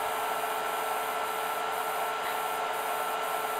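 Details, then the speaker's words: IBM DPS-2000BD power supply feeding several battery chargers at about 60–70 A total: steady high hiss with a faint tone dipping and swelling about twice a second as output voltage fluctuates under load. "it fluctuates up and down pretty much and you can also hear this hissing sound fluctuating and now we are at about this one says 55 this one will be a bit more than 10 so we are between 60 and 70 amps where you have this hissing sound and the fluctuating voltage"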